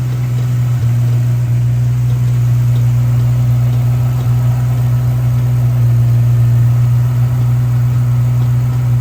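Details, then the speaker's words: Supercharged Coyote V8-swapped SN95 Mustang with a 4R70W automatic transmission at idle: a deep steady drone with a faint, uneven rattle underneath. Cavitation-like sound present since first start; owner suspected fluid level. Cause unconfirmed. "So, I have a problem with my transmission. And I have to be honest with y'all. Like, I've from the first start of this car, I've heard something that sounded like cavitation."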